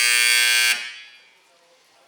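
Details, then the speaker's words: Vulcan Industries WCP-350 screening washer compactor control panel during factory testing: harsh, steady high buzzer for under a second then quiet, the overload trip alarm sounding again before the panel is opened to reset it. "Overload again. This time I'm going inside the panel to reset."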